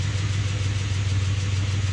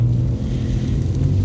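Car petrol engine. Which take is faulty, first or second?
first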